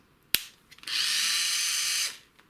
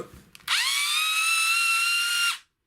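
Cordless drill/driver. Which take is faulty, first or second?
second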